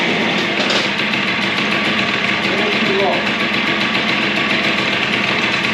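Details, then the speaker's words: Suzuki DS90 two-stroke after rebuild with used replacement crank, first heat cycle, idle adjusted up as it was a little too low: crisp, fast buzzing beat steady and even with a bright high ring, no knocks; healthy idle. "all we got to turn the idle up just to Tad all right let's try that"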